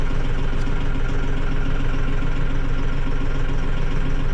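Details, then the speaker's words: Mahindra 6065 tractor diesel after service reminder reset: steady even idle with regular low thrum and no alarm beeping; running normally. "hey there we go that sounds much better nice very nice"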